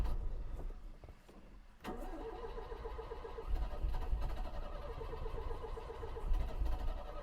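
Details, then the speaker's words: 1970 Citroen DS, restarting after stalling while backfiring and struggling at low rpm on a test drive: slow, uneven cranking at three to four turns a second that never catches. The battery is flat. "Yeah, we're not going to start here, I don't think. Oh, we ran out of battery."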